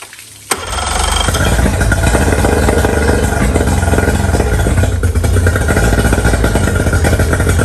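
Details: Outboard on a 1999 DuraCraft 1648 bass boat, sitting six years, after clearing dirt-dauber nests from under the cowl: fires up and settles into a quick, steady putter with no stumbles or misses; normal idle, water test still pending.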